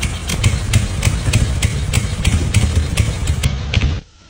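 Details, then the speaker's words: 1987 Chang Jiang 750 sidecar motorcycle with 750cc horizontally opposed twin, first start after ten years stored, ignition contact point replaced; heavy, loping idle about three pulses a second, even and steady with no extra noise, normal idle. "三十多年過去了，聽就知道了。沒有額外噪音。怠速聽起來也很穩定。"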